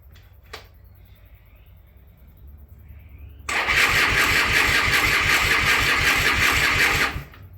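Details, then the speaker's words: Triumph T140/T120 twin, just fitted with an in-line 5-micron canister oil filter, is turned over on its electric starter for about three and a half seconds without firing, to build oil pressure before starting. This is normal cranking. "For me it's electric start, so all I have to do is crank it around on that. Much easier."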